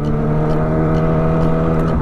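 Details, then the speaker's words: Motorbike ("Melika") in the morning, just after an oil change; it hesitated the day before the change, and only the cam chain adjustment remains. Smooth, steady engine note with a clean low hum, no stumbling or hesitation. Normal running. "Huh, enakan banget kan suaranya. Kemarin belum ganti oli enggak enak. Sekarang udah enakan, Guys."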